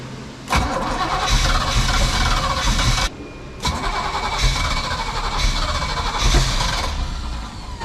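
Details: 1979 Sea Ray boat, MerCruiser 898, sat 17 years; new carb installed unadjusted, coil swapped from another boat. Starter chugs evenly in two long cranking bursts but it never catches. Points ignition later replaced with an electronic ignition.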